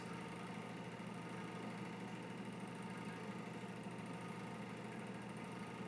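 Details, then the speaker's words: Exhaust fan running at steady speed: a faint motor drone with a fine continuous rattle; owner suspects the bearings but is unsure whether it is the motor or the uncleaned blade. "it has a real bad rattle to it I don't know if it's the bearings I don't know if it's the motor or the whinings or the blade that hasn't been clean yet"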